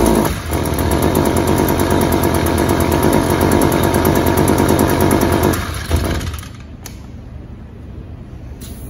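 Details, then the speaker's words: Two-stroke string trimmer, hard to start, run at wide-open throttle: buzzy, blubbering and uneven with rich smoke, then it peters out and dies. Cause is a clogged spark arrestor screen; it runs well after the screen is replaced. Rich running and stalling. "it's not going to run very good at all it's going to be smothering out it's going to have a deep rich bellowing smoke from the exhaust and as you can tell that the gas mix is way too rich"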